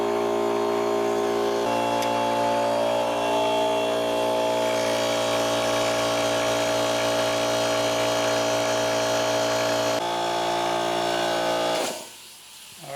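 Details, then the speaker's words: Old Harbor Freight air compressor, repaired after it would not start properly, with its capacitor replaced and fittings and gaskets resealed. A steady motor hum with an even pumping beat and no knocking or squeal as it builds pressure, then shuts off before a restart test. "I'm going to let it build up a little bit of pressure, shut it off, and try to start it again."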